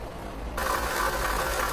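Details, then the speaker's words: Honda engine idling with a busy, loose metallic rattle over the low rumble from the timing-belt-driven water pump rattling badly; pump to be replaced. "the water pump in this Honda's in here driven by the timing belt and it's rattling like mad"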